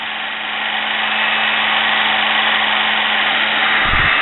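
Even, high-pitched whir holding steady speed with a faint low hum underneath; the motor runs smoothly and sounds healthy.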